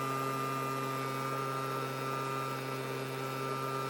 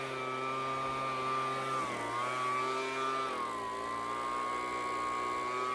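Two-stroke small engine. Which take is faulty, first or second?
first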